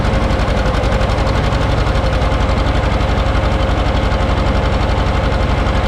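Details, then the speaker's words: John Deere 530 two-cylinder tractor, started after battery charging failed; slow, even pop-pop beat at about four per second with deep low thump; healthy running. "Oh, you can't beat it, old 2-cylinder John Deere. Love that sound."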